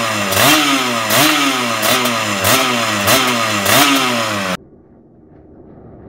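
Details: Kawasaki Ninja 150 two-stroke with RM85 racing magneto, new balancer bearing, PWK 28 carb, main jet 152, pilot jet raised about 4 steps: crisp ringing blips every 0.7 s, revs rising and falling cleanly before shutoff; runs healthy.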